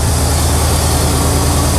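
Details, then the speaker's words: Barn-find square-body truck with a 350 Oldsmobile Rocket V8, still warming up. The choke lacks its stovepipe to the intake. Steady, fast low rumble: high idle while coming up to temperature, idle not yet tuned. "We're slowly coming up to temp. And it's idling high like that because I'm sure we gotta tune in on the idles."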